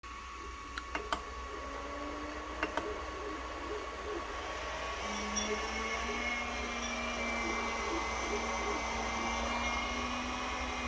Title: 3D printer buzzing sound, Ender 3